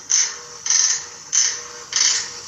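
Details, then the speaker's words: Electrolux top-load washing machine during wash agitation, recorded by owner; dry high-pitched cre-cre creak about every 0.6 seconds with each agitator stroke, worn agitator ratchet spring. "na hora que a máquina tá lavando a máquina do amigo lá está fazendo um barulho assim na hora que tá batendo a cre cre cre que na hora que tá batendo"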